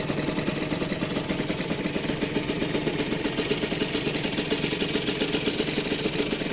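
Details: First start of a restored Rieju RV with a rebuilt engine: the small single idles at a quick, even patter with no knocks or rattles; clean, healthy idle.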